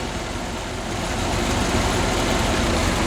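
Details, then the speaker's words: 1981 Holden VH Commodore back from about 8 months in storage, after new vacuum hoses, oil and coolant and a charged battery: steady low burble with even pulses, no knocks or misses; normal idle. "Kick her in the guts. Would you listen to that? It runs."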